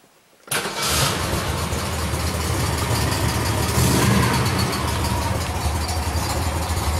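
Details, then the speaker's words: Chevrolet Chevy SS Coupe under restoration, engine already a little hot from an earlier start: catches quickly with no carburetion problem, settling into a steady, even, deep idle with no knocks or misses; normal warm start and idle. "Well, regarding the carburetion issue, there is no problem, so because the car starts very well, we are going to start it up, of course, now it is a little hot because I already started it"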